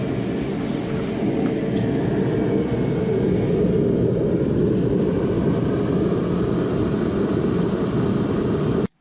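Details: Torpedo heater after diagnosis and rotor replacement (before, the fan started then shut off without firing): steady, even roar of the burner and fan with no surging or sputtering, cutting off cleanly; running properly.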